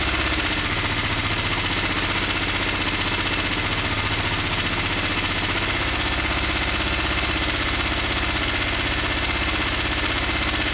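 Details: Gilera DNA 125 after carb and intake change, after cleaning both quite-black plugs fouled with fuel and oil: loud uneven beat about four a second, stumbling and not settling; rough running, cause unconfirmed.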